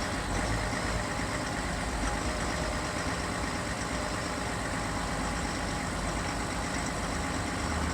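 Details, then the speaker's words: 2020 Chevrolet Silverado 3.0 Duramax diesel, remote cold start at 16–20°F: even idle with soft steady diesel clatter and low rumble, slight idle wandering, before high idle kicks in to warm up; normal healthy cold idle. "can hear a little bit more of the diesel noise, clatter. And in a couple seconds here, you should actually hear the high idle kick in. It'll start to elevate the idle to help warm up the truck."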